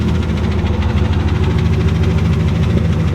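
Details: Turbo Ford Mustang Bullitt with stock engine: deep rough idle with a heavy knock about three times a second over the low rumble; rod knock.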